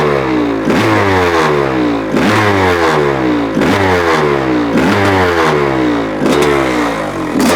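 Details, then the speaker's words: 1985 Honda CR500 two-stroke engine in a 2007 CRF450R frame, first run after swap with muffler, windy and cold, choke just off: crisp clean revving blips, runs strong, still a bit rich and smoky. "runner I just turned off the choke motor sounds different with a muffler on it sounds pretty good huh it it's still a bit Rich which is okay sounds like it has a cam in it you know"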